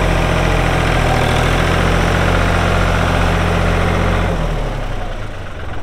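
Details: 1999 New Holland TN65S 4WD diesel tractor, 8-speed hydraulic shuttle, NH 33LA loader, 4,162 hours: smooth, deep diesel idle with even beat before fading out, no knocks or misses; hydraulics strong, engine sounds good — normal idle.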